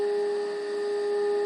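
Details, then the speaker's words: Philco 90 radio during IF alignment with test equipment, after resistor and speaker work; pure steady tone around 400 Hz, getting louder as adjusted, faint hiss: IF stage now properly aligned. "and hey look at that and hear that it's getting louder the waveform is getting larger so the alignment was off"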